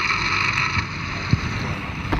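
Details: 12-year-old all-wheel-drive Ford F-150 while accelerating on the road, heard through a pickup on the transmission. A steady high whine over road and wind noise points to a worn transmission bearing.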